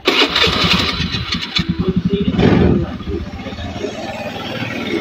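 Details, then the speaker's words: Honda Beat scooter that the owner says uses far too much fuel: it cranks, catches and holds a raised, busy idle that won't settle to a slow tick-over. The RPM is too high; the cause is suspected but not confirmed. "oke oke motor sudah menyala dan ini RPM juga terlalu tinggi ini ya"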